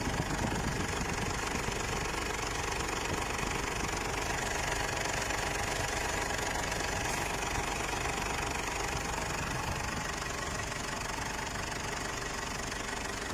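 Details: Mazda BT-50 diesel brought in for stumbling, hesitation and black smoke around 40: a steady idle with even clatter of about four beats a second, no stumble or misfire.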